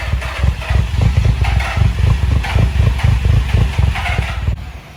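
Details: Nissan 350Z, jump-started after camshaft sensor and cheap (snapped) crankshaft position sensor installs, previously a no-start: the idle chugs, lopes and surges unevenly before dying, and dies when given gas. Rough idle and stalling.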